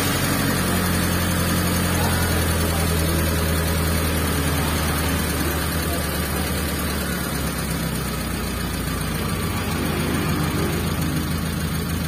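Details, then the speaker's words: T120SS injection vehicle after thermostat reinstalled and coolant refilled, freshly started: steady low even hum as rpm drops quickly to about 600 rpm; idle normal, high idle had been traced to missing thermostat. "RPM-nya tidak lama setelah menghidupkan mesin, untuk jarumnya itu langsung turun ya ke angka kurang lebih 600 RPM, menandakan untuk stasionernya sudah normal ya."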